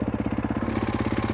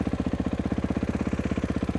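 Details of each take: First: Motorcycle with Rekluse auto clutch, idle deliberately bumped up: fast even single-cylinder idle, about thirteen pulses a second, clutch drags and bike tries to walk forward in gear; fix by lowering idle or changing EXP springs. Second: Kawasaki KX450 with a Rekluse Radius CX auto clutch, warmed up, free play gain correctly set: steady, even idle with no slipping, dragging or rattling, showing a proper setup.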